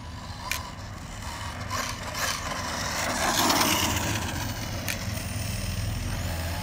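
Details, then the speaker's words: Arrma Outcast 6S electric RC truck with bulletproof differentials after 4 years whirs under a gritty, uneven scrape with clicking that keeps getting louder; the center differential is suspected of failing. "going on in the one of the diffs? I think it might be the center. You kind of hear it. Clicking."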